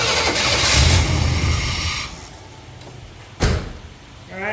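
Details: 1990 Chevy C1500 5.7 after intake manifold gasket reseal, first start: engine catches, runs ragged a couple of seconds, sags and falters; hard starting, rough running.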